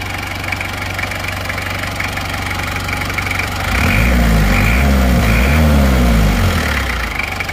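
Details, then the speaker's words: Isuzu Panther 2.3 diesel just rebuilt with NPR liners and piston rings, injection pump timing reset to standard: steady, even idle clatter with smooth throttle blips rising and falling cleanly; healthy engine. "Suara yang nyata, yang real dari Panther 23 yang normal itu suaranya seperti ini. Ini baru saja ganti liner dan ganti ring shaker yang merek NPR."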